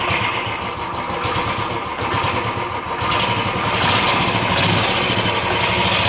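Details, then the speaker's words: Royal Enfield UCE Electra single-cylinder with almost no oil pressure: a thump at about four beats a second with a rough, rattly clatter that grows as revs rise. It's piston slap, and play between the piston and block was found on teardown. "ये UC Electra है। ये गाड़ी में इंजन में साउंड है।"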